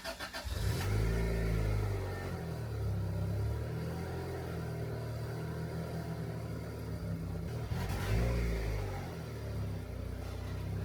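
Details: Turbo Honda Integra after resoldering wiring, fuel pump suspected of not priming: cranks and catches, then runs rough and lumpy with revs sagging, never climbing cleanly; bogging and won't rev, cause unconfirmed.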